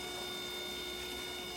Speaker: all right let's jump this pump and see if it turns on yep try to get this in here cool so you can hear